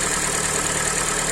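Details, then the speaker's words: Hyundai i40, 150 thousand km, after rebuild for piston knock from scored cylinders: block sleeved and honed, new pistons, head and valves reworked; first start shows an even smooth idle with no knock or foreign noises. "Итак первый запуск мотор готов собран масло жидкости все залиты работает ровно посторонние звуки отсутствуют"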